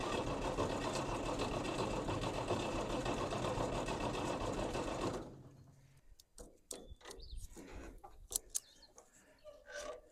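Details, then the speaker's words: 1964 Farmall 806 tractor, serial 15020, sat for a long time: about five seconds of regular cranking near four beats a second with no firing; no fuel at the cracked injector lines, owner suspects a bad injection pump. "Is it enough? It would be nice just to hear it sputter once. A sputter would be that'd be all right. I'd take a sputter."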